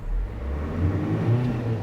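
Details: 2002 Renault Master 2.2 dCi, in the shed, first rev: diesel picks up revs smoothly and evenly, no hesitation, flat spots or misfire, little smoke; pulling freely and healthy.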